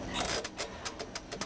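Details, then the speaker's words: Restored vintage Richman Corp. Set-Shot Basketball arcade game: even, sharp clicks about six or seven a second as the slide is pushed fully in to reset the scores; back in home position it lets the machine run; working normally. "when you push it all the way in that's resetting the scores and when it's in the all the way back position that allows the machine to function"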